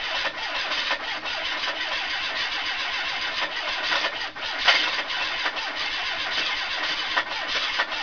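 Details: Ford Capri 2.0 Pinto, newly fitted engine, idling with a rapid sharp knock over a clattery rattle; owner unsure if bottom-end failure or something knocking elsewhere.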